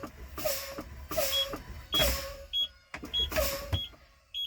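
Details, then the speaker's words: International truck in-cab pretrip, engine off with key on: brakes pumped down from about 90 psi toward 60 psi, air hissing in bursts until the low air warning light and steady alarm tone come on, indicating low air pressure. "my low air warning light and obviously you can hear the alarm from here"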